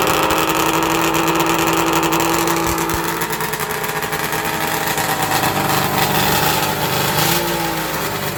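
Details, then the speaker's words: 1994 Arctic Cat Thundercat with 1050cc Hooper big-bore triple two-stroke, rebuilt for drag racing after a cylinder died (plug white); warm after one heat cycle. Crisp, buzzy idle with quick clean revs, no knocking or stumbling; normal healthy idle and revving. "I've had one heat cycle in it it's still warm yeah this thing sounds gnarly"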